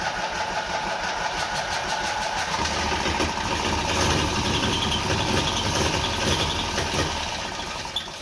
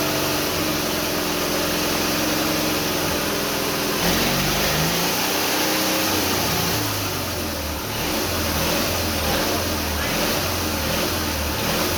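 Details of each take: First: Twin-cylinder Briggs & Stratton engine on a mini bike, first start after primer splash: steady cranking with uneven firing that never catches, runs out of prime and won't stay running, possibly given too much gas. Kill switch also questioned. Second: Twin-cylinder Briggs & Stratton engine on a mini bike, first start with rebuilt carburetor and black-pipe exhaust: small twin barks evenly as the throttle is blipped, pitch rising and falling cleanly; fires on both cylinders, normal running.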